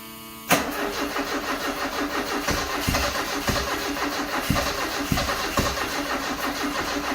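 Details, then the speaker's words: 1974 Alfa Romeo Spider Veloce, 10K original miles, stored 30 years; cranking with accelerator floored: steady cranking, even compression pulses about every half second, never catches; fuel pressure light on, owner later suspects flooding. "It's trying. I wonder if there's something I'm forgetting here."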